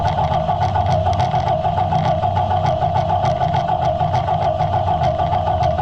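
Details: Allis Chalmers 175 diesel tractor just reassembled, started after bleeding the injection pump: even, steady diesel clatter at a fast tick-over with no misfire or knock; normal idle.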